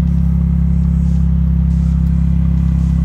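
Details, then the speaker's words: 2013 Smart ForTwo after repairing the bad wiring to the A/C evaporator temperature sensor, at 57°F outside. The A/C compressor kicks on over a steady, even idle with a smooth drone and no knocks or squeals: normal operation, fixed. "so they see kicks on there it goes AC just kicked on"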